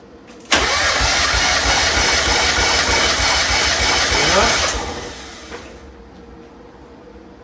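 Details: 1994 Mazda Miata NA 1.8 L, compression test cranking, cylinder two: even cranking at about three beats a second with every stroke alike; it reads about 199–200, consistent with the other cylinders.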